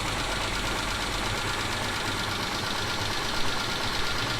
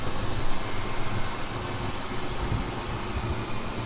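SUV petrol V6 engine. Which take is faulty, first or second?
first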